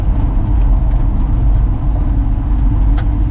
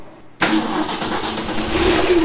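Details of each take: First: 1966 Ford F100 with the 300 six-cylinder and 4-speed manual, farm-auction truck revived after storage: deep, uneven low chugging as the engine lugs and falters under throttle, then stalls; engine chugging and dying. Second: 1966 Ford F100 with 300 inline-six and 4-speed manual, one-owner farm truck that ran when parked: catches instantly after a short crank into a steady, even idle, 40 psi oil pressure, charging about 30 amps; healthy start.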